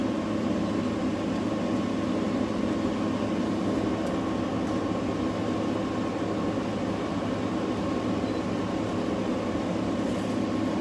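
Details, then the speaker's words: New GE 10,000 BTU window air conditioner AWFS10WWL: smooth constant airy fan rush with faint low hum, compressor barely audible, air ice cold, no rattles; normal operation. "Uh, I was thought it wasn't working there for a minute cuz I couldn't hear the compressor, but now I feel the air is almost ice cold coming out of there. And that's the compressor running."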